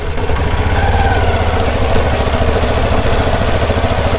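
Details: Karizma motorcycle riding after chain properly fitted to cure a body noise: even engine pulses, smooth ride, no chain rattle; some slight vibration from tempered glass and body parts may remain.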